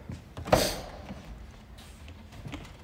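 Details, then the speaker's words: 2007 Ford Mustang Shelby GT500, engine off in quiet cabin: irregular clicks and ticks from the Ford six-disc CD changer stuck cycling discs, a common issue. "can hear that clicking and ticking that's the CD player a lot of the Ford six disc CD players had that issue where the CD cycles"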